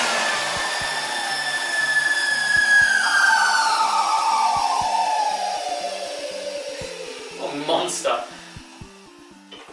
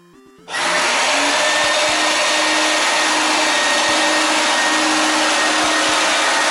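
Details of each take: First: 1988 Numatic WVD 750 industrial vacuum with twin B2-1004N motors (1600 W combined): high motor whine with a rough, dry edge, pitch sliding down as it runs off; dry motor bearings. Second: 1988 Numatic WVD 750 industrial vacuum, twin B2-1004N motors, 1600 W combined: loud, steady roar with constant high rushing pitch and no wavering or rattles; healthy normal running at full suction.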